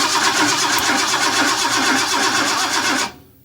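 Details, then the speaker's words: 1958 Ford F100 with a newly installed fuel pump, regulator and gauge, cranked with the coil off to build fuel pressure and check the carb for leaks: steady starter cranking about four beats a second for three seconds, never catching. "we have the coil off we're going to make sure we aren't leaking at the carb and then we will see what we have for"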